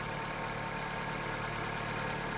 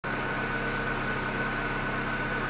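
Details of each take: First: Chevrolet Corsa Classic 1.6 (not 16-valve): steady idle with a constant airy sucking hiss; vacuum leak, false air at the brake booster hose seal. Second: Chevrolet Corsa Classic 1.6 (not 16-valve) that arrived on a tow truck not starting, now running: steady even idle, smooth low hum with a faint constant high whistle, no knocks or misses; healthy.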